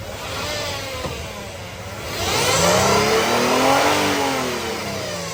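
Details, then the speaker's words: 2011 Nissan Murano AWD, 3.5 automatic CVT, 215,100 miles: a rising and falling whine tracks the revs over the engine note, loud under throttle; the CVT transmission gears are shot, while the engine itself runs good. "So, you hear that noise? That is the CVT transmission. That is bad. The gears are shot and they don't work."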